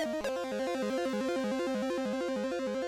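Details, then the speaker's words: Commodore 64 board: this SID chip plays a clean chiptune with a steady stepping bass line and clear lead notes, no dropouts or buzz, but the tune doesn't use the filters that fail on the other, faulty SIDs. "This one's working. Yeah. But it's not using the same filters these other ones are using. Oh, legend intro works pretty well, too."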